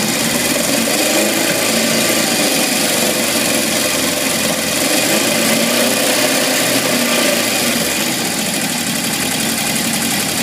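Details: 1978 Honda CB750F inline-four at idle: a busy, loud metallic rattle at about four per second since it shut off from low oil pressure, with metal shavings in the pan; crankshaft bearings suspected, not confirmed.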